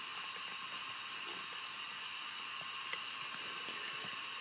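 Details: Acura Integra B18B1 engine, not running, cylinder four at top dead centre on leak-down test: steady high airy hiss of air escaping past a non-sealing exhaust valve; best cylinder so far, still some leakage.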